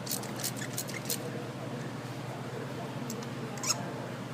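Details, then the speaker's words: 2011-2016 Ford F-150 3.5L V6 EcoBoost spark plug breaking loose using a 5/8 socket, universal joint, extension and 3/8 ratchet. Short, high dry chirps in the threads, which lack anti-seize. Dry spark plug thread squeak. "That is why I like to use anti-seize on my spark plug threads. I don't like them being so dry."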